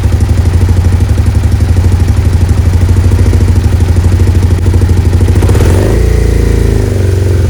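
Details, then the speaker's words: Suzuki SV650S V-twin during carb sync, after fitting vacuum gauge line and removing old possibly leaking hose: steady loping idle then a crisp throttle blip settling smoothly; throttle response now spot on. "right what's interesting is ass soon as I've connected this vacuum line in and removed the old piece of holes that was in there throttle response is spot on now"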